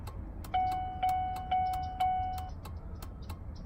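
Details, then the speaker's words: 2003 Chevrolet Suburban after flasher module replacement, tested with the new module. Crisp, evenly spaced clicks about two a second with a steady warning chime; turn signal flasher cycling normally. "well I think that's long enough to let us know that it's working the other one would have messed up before then"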